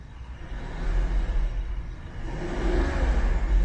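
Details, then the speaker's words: BMW 760Li F02 long-wheelbase M Sport, N74 twin-turbo V12, heard from inside the cabin: deep smooth rumble swelling with a throttle blip, no roughness or vibration felt; healthy engine. "i mean it's really smooth i can't feel any vibrations"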